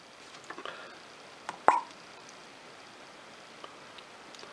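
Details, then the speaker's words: Circa-1930s De La Rue Onoto Patent self-filling plunger fountain pen being filled: a sharp pop and brief gurgle, hissing as the plunger drops, seal and filler drawing ink properly. "I'm hoping you could hear that sly sort of popping and hissing sound from this area here which basically sounds exactly what we want to hear"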